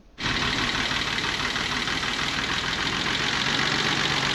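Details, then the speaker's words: 1985 BMW E24 635CSi Euro spec: loud idle with uneven, lumpy beat; misfire, owner pulling plug wires one by one, cylinders two and six showing no change, so two dead cylinders suspected. "this is not running well hmm sounds like i have a misfire so to diagnose it i'm gonna pull spark plug wires one by one to figure out which cylinders aren't firing"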